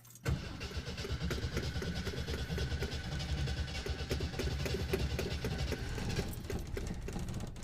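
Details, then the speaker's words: 1969 Kaiser Jeep Wagoneer, cold start on choke, checked out at a Jeep dealer. A brief crank, then it catches and settles into a steady, even low rumble with no misfires. Seller suspects maybe a slight exhaust leak; oil pressure and temperature fine. Normal cold start. "So this was a cold start. And like I said, this thing has been checked out at a Jeep dealer, so let her warm up just a little, and she's running."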